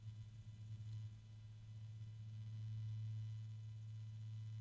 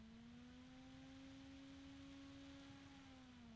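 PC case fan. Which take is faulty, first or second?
first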